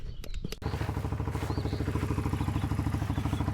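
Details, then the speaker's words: 1996 Kawasaki Bayou 300 4x4 after replacing the faulty starter solenoid with an OEM Kawasaki part: a few quick starter clicks, then the engine catches and settles into an even, steady thump with no misses; normal start and idle. "Well, we got the Kawasaki running. It was the starter solenoid."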